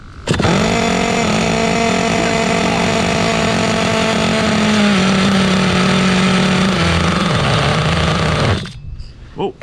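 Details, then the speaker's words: 2006 OFNA Mutilator nitro RC buggy after rust restoration, first start before idle tuning: high buzzing engine with muffled note sagging and wandering in pitch; running too rich. "running too rich, running too rich."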